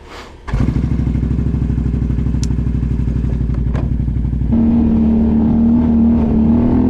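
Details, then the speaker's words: Can-Am XMR 570 with RJWC Mud Edition exhaust and El Comandante tuner: revs settle into loud uneven burble with faint puffing ticks; owner suspects small exhaust leak needing adjustment. "sounds like there's a little bit of exhaust leak so I might have to go back and adjust that a little bit"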